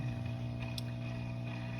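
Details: Top Fin Indulge 3-gallon aquarium, under a month old: steady low motor hum with a faint watery gurgle from the filter pump, which returned after the filter was cleaned.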